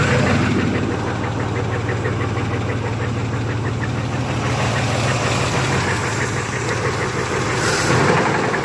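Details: Knocking at idle on a just-bought 1991 Chevy S-10 V6. Low idle rumble with a dull knock about three times a second, loosely even; owner unsure whether it is the flywheel or the engine.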